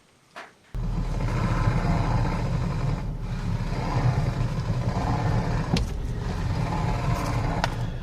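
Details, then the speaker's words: Hyundai i20 electric power steering (EPS) motor: low rough grinding drone with uneven creaking ("kiru-kiru") as the wheel turns, steering also stiff; damage inside the EPS motor, a worn or stuck brush. "അതുകൊണ്ട് തന്നെ ഈ ഒരു electronic power സ്റ്റിയറിംഗിന്റെ മോട്ടറിനകത്ത് damage വരുന്നത് കൊണ്ടാണ് ഇങ്ങനെ ഒരു sound കേൾക്കുന്നത്."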